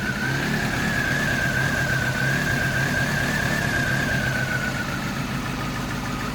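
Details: 1998 Mazda 323 idling in P: uneven, wavering rough idle with a thin whistle, sagging toward the end. Throttle body, IAC, MAF, intake tube and distributor cap were cleaned; it idles at 1500 rpm in neutral and drops from 1000 to 100–500 rpm in R/D; cause unknown.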